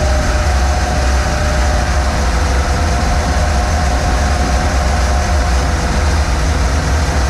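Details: 1947 Ford cab-over V8 truck, unrun for about 60 years, after starter ground fix: steady low rumble with an even beat and no knocks or misses at a fast idle; running normally.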